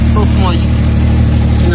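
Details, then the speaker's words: Deep, steady idle with a lumpy big-cam sound and audible air sucking from a small hole at the back of the intake manifold; a vacuum leak felt by hand and patched with painter's tape, after which it idled smoothly. "right up underneath there car was sounded like I had a big old cam in it so ice we're here in the air just sucking like me wouldn't that noise vacuum leak"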